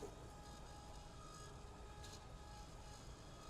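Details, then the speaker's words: Fuel pump cavitating with a steady gritty rumble and faint whine as its suction side is restricted by a four-micron cellulose filter element, drawing air into the fuel lines; restriction on the suction side causes cavitation and vapor that can harm the pump and injectors. "We even put a a stainless steel wire mesh on the suction side to cut down the cavitation of our pump that takes out air."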